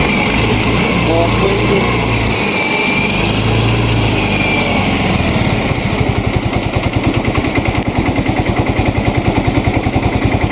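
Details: Yamaha Mio i 125 scooter, misfiring (palyado) and smoky; hard starting, TPS drifting to 74, O2 sensor voltage dropping and not reaching 1 volt; uneven stumbling putter with skipped pulses, misfire from rich mixture.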